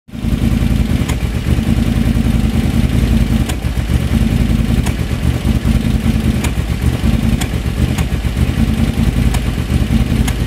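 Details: BF730 small engine: runs unevenly with irregular sharp pops and stumbles, a misfire caused by the carburetor.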